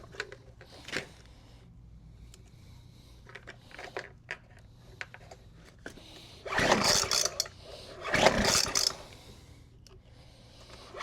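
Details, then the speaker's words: Weed Eater FB25 25cc two-stroke blower, choked and primed with fuel: two hard recoil pulls with no firing at all, no start; it has a broken fuel line and a suspect recoil. "We'll give it a couple pulls and see what happens. Yeah, we're not getting nothing that way."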